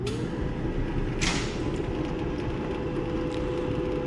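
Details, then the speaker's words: Maytag Bravos high-capacity electric dryer after fixing loud squeaking from an ungreased idler pulley rubbing its metal bracket, cleaned not replaced: even drum rumble, steady low hum, no squeal. "you can see no more squeaking so that was just the issue the little pulley within time and basically there's no grease on it so it rubs against the little metal that holds it"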